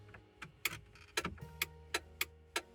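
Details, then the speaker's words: Toyota Previa heater blower, low and high speed relays under test; sharp dry relay clicks as the switch steps up, no fan whir. Relays work but no power reaches the blower; owner suspects a chewed wire under the dash. "it's clicking on so they're working it's just the power isn't getting to where it's supposed to go"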